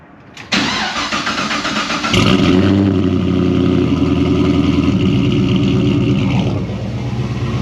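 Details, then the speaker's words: Pontiac GTO cold start on a snowy day, before a radiator flush with heater on max: starter whirr, then the engine catches and settles into a loud, lumpy, steady high idle; healthy cold start. "love that sound it's going to get way better"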